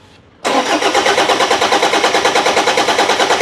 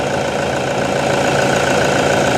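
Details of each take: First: Toyota Vigo with 1KD diesel, towed in, cranks but won't start: even cranking about three compressions a second for six seconds, never catches. Timing belt was intact and a new part didn't help, so the injection pump is blamed; pump to be removed and repaired. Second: Toyota Vigo 1KD diesel after an injection pump rebuild, idling to reach temperature before pump relearn and a road test: even, steady idle clatter with no uneven beats or misses; sounds healthy.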